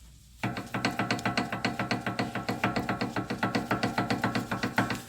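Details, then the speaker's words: Toyota with knocking/clunking over bumps: worn, loose sway bar end link rocked by hand gives sharp metallic knocks three or four per second, transferring like hammer taps into the cabin. "because it's a metallic doesn't matter there's bushing here uh the ball which is in the knuckle right everything transfers like tapping with a hammer on some metal it will transfer in the cabin"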